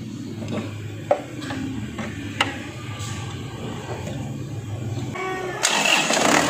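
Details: 2011 Isuzu Panther LM diesel after DIY purging of injectors and injection pump, fuel primed by hand pump: several cranking pulses, then catches promptly and settles into a steady clatter, a healthy start with reduced exhaust smoke.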